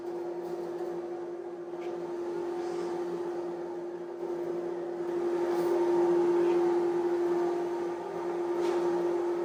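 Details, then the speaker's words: Off-grid wood-fired boiler just lit, cold start button pushed to drive the blower hard: a steady, even mid-pitched hum without wavering; normal blower running at cold start. "Okay, so you can kind of hear it. That's because we first started up, there's a cold start button you can push, and it just gets the blower going really good."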